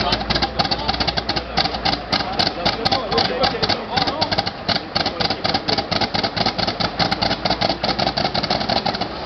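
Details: WW2 American M22 Locust airborne tank: rapid rhythmic chuffing and clatter as the engine cranks and catches unevenly, never settling into a clean run; a hard start.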